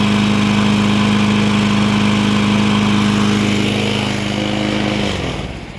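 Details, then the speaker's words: 2003 Toro Recycler push mower run with only the air filter base fitted, no filter. Steady, even engine note with a light rattle before winding down. Engine judged perfect; rattle suspected from the blade, not confirmed. "the engine's perfect now there's still a rattle to it but that's either a decorative blade that'll go away once i deal with that engine's good to go"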